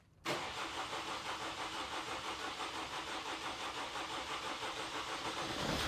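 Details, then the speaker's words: 2018 Vauxhall/Opel Astra K 1.6 CDTi diesel (engine LWQ), intermittent start, codes U18A2 and P12A6. It has long, even cranking without catching; rail pressure reaches only about 4 MPa versus 9 needed. "so here's another test we'll do we've got the fuel pump really command so we'll see if that commanding the really on and off"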